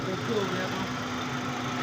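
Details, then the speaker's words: 2012 Suzuki Cultus EFI, after cleaning a rusty, blocked throttle body to cure misfiring and stalling: RPM has settled back to normal, with a smooth, even idle and steady low hum, no stumbles or misses. Normal idle. "तो अभी जो है ये अपनी जगह पे आ चुके हैं। आरपीएम ये देखें व्यूवर्स ये अपनी जगह पे आ गए।"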